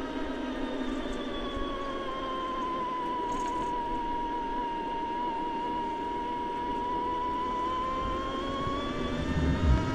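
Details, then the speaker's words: Himiway Rambler Premium e-bike, Bafang M600 mid-drive motor, throttle-only hill climb in fourth gear above 8 mph: steady whine near 1 kHz, a bit louder than some other mid-drives but not annoying; normal motor whine under load. "There is a whine to it. You can hear it. I would say it's a little bit louder than some other mid-drive motors, but not bad at all."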